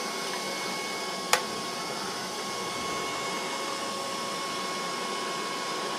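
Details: Creality CR-10 3D printer, first power-on after swapping in a bootloader-equipped main board and before the EZABL sensor install: a click at switch-on, then a quiet, steady fan whir. Powers up normally.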